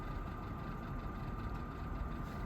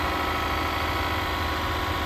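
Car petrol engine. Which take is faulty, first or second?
first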